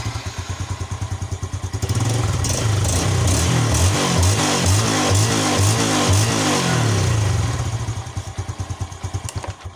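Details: Yamaha Jupiter Z1 with rectifier swapped for a Satria FU regulator, battery still connected: starts on the button, then settles into a steady, even idle with a clean putter and no knocks or misses; running fine.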